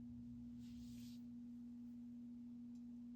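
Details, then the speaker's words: Space Duel arcade game under restoration: steady unchanging low hum at one pitch, persisting with the speaker harness unplugged, so not the speakers; buttons harness still to check; stray audio-circuit tone, source not yet traced. "So, it's not the speakers. We have one more harness to unplug, which is the buttons."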